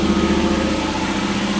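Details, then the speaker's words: Lexus LS400, owner thinks 1997, running briefly with no coolant and the cam sensor wire pulled back from the belt: steady, even idle with no misses or stumbles; it runs smoothly, though a further fault remains to be found. "Really, that's a shame cuz she runs like a top. She really does. She runs really good."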